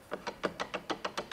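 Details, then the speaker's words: Cordless table saw miter gauge: light, even knocks about six or seven a second as the gauge wobbles slightly side to side. There is play in the miter gauge. "Alors maintenant, prenons-le, ajustons-le, tout va bien, mais nous avons un petit truc : quand on l'a ici maintenant, il vacille très légèrement."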